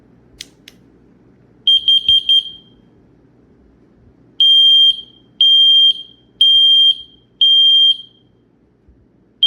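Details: Yfwsrecinoe combination smoke and carbon monoxide alarm, dual sensor, 3 AAA batteries, test button pressed after boot countdown: four rapid shrill chirps, then loud high beeps about a second long, once a second; test tone working properly.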